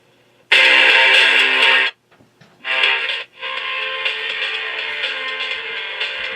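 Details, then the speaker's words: Elenco FM-88K kit FM radio, second freshly built unit working (first unit hisses but finds no stations): music plays clean and strong with no hiss or static; normal FM reception. "working so proving once again that maybe I know how to build"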